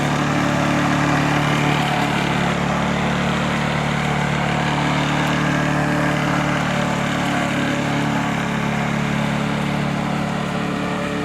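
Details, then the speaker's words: Small petrol lawnmower engine after carburettor removal, cleaning and air filter service (it had been running badly, squeaking and stalling): it now runs at steady, even speed with no misfires, popping or surging; sound and revs are good. "доволен Звук хороший обороты хорошие"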